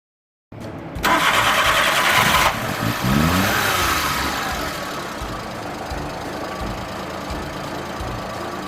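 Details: Suzuki Multicab F6A mini truck, earlier a no-crank no-start: starter whirs briefly, then the engine catches, revs up and settles into a steady idle; starts normally.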